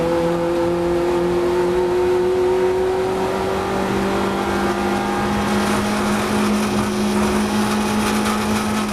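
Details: Strange tonal whine from the Compact's engine under hard racing load at Brands, steady then dropping in pitch partway through; source unclear.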